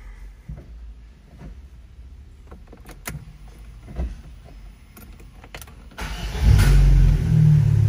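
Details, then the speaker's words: Fiat Strada 1.4 Fire Flex: after a few clunks the engine fires into a loud, deep, blaring idle rumble because the rear silencer is holed and leaking; it is to be replaced. "Esse barulho que vocês estão ouvindo a mais, pessoal, é porque o escapamento do carro, o final, o silenciador final, ele tá furado."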